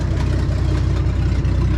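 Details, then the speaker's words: 1967 Ford F250 V8 idles with a deep, even burble; it runs really well, with a faint puffing tick from a small exhaust leak. "runs really good just got that little bit of exhaust leak"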